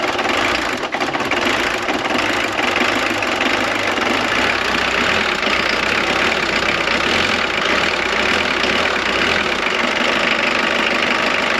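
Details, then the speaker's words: Jeep Cherokee XJ 2.1 TD diesel running on a temporary hose fuel feed after pumping in diesel: it settles into a steady, even idle with its usual clatter and no stumbling or misfire. It works. "Alors la bonne nouvelle, c'est que ça fonctionne."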